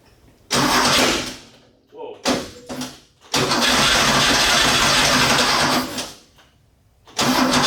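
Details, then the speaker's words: 1969 Porsche 911T that was misfiring and losing power, with a burnt valve suspected. After reassembling the carbs and cleaning the plugs, short cranking bursts catch briefly and cut out. The owner suspects excess fuel in one cylinder and fears hydrolock. "whoa did you guys catch that i think there's a lot of fuel in that uh in that cylinder uh i don't want to hydro lock or bend anything"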